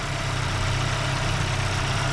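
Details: Daewoo Lanos engine after rebuild for knocking (block checked OK, factory hone kept, valves lapped), first start warming up: smooth, even idle with steady low hum, no knocking or ticking; runs clean.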